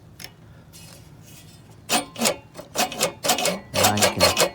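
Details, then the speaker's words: Reel push mower with the reel adjusted up toward the bedknife by the knobs, before lapping with compound: uneven scraping ticks, two or three per second, as the blades rub and grind on the bedknife. "you can definitely hear it rubbing definitely grinding against it"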